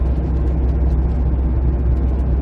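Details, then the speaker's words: 2008 Jeep Compass, front passenger-side wheel bearing before replacement: steady low droning hum over road noise at constant speed, nearly vanishing when cornering and returning straight; bearing shot after earlier hub-nut tightening only helped briefly, inner or outer bearings undetermined. "now can you hear that humming well unfortunately I that bearing is is shot"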